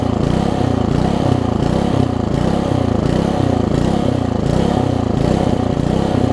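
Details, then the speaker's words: Old (1996 or later) Troy-Bilt Tuffy tiller, 4 hp Briggs, left outside, before repair, air filter cover off: uneven, lumpy, stumbling beat that never settles; rough running, owner thinks carburetor too far gone despite new diaphragm. "I did put a diaphragm in it and they got it running for a little bit but I think carburetors a little bit too messed up to truly worry about fixing"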